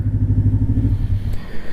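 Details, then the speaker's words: Kawasaki Ninja 500R twin, warmed up, in neutral; even quick putter, steady and smooth with no knocks or hunting, healthy idle while burning off grime on the engine. "oh yeah she's happy she's happy smells good too finally burning off a lot of that crap that's been on the engine"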